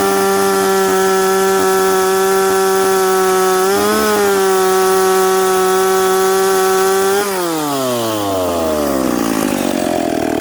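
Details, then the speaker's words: McCulloch Pro Mac 850 chainsaw with an expansion pipe, cutting rock-hard maple, limited cuts to avoid overheating. Strong even high buzz holds speed through the cut, then winds smoothly down, no bogging. Normal running under load; completely different saw with the pipe. "friends this is a completely completely different saw now"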